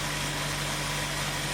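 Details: 1970 Ford Mustang Mach 1 V8 after crank pulley repair and retiming to about 12°: even, steady idle with a smooth low drone, no knocks or misses; carburetor still thought to need work.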